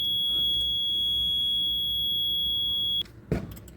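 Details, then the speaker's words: Fire alarm control panel full reset after an alarm from the L2 BF toilet room back-side detector, blamed on dust in smoke detectors: steady high beep for about three seconds, then a clean click as the panel auto-resets in 1–2 seconds and shows healthy; normal reset buzzer. "ನೋಡಿ ಸ್ನೇಹಿತರೆ, automatic 1-2 second ಆದಮೇಲೆ automatic ತಾನೇ reset ಆಗುತ್ತೆ. ಈಗ ನೋಡಿ ಎಲ್ಲ ಹೆಲ್ದಿಯಾಗಿ ಕಾಣ್ತಾಯಿದೆ."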